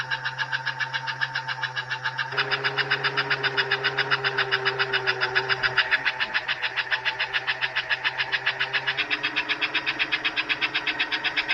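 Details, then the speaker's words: Pre-1957 all-metal American Flyer S scale locomotive, about 70 years old, drive wheels lifted off the rail: quick even chuffs near four a second over soft motor hum, no stumbles; running healthy. "oh there we go the headlights working 70 years old and it still runs and chops"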